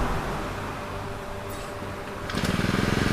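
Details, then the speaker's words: Used Honda GX35 brush cutter, rebored cylinder, new piston, rings, carburetor, air filter and clutch, tested before shipping: starts easily after a short pull, settles into a steady, even idle with regular firing pulses: normal start and idle. "สตาร์ทติดง่ายนะครับลองเร่งดู"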